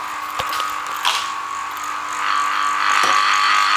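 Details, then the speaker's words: Commercial washing machine pump on a variac, running dry: thin steady whine with light ticking and spitting air, no water moving. Normal but unprimed; these pumps need gravity feed to prime. "these pumps need um gravity feed to to get in the prime it's air coming out there so it's good"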